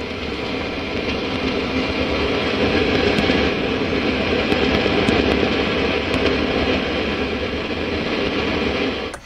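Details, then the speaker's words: Orange AD30 twin-channel valve amp (GZ34 rectifier, four EL84s) on the bench with a bench speaker, channel one, gain down, master up: dense, irregular crackling and popping over hiss, slowly increasing, vanishing as the master is lowered; faulty capacitors suspected. "and as you turn the master down it disappears and you can hear we've got some pretty bad crackling popping and it's slightly increasing as time of them"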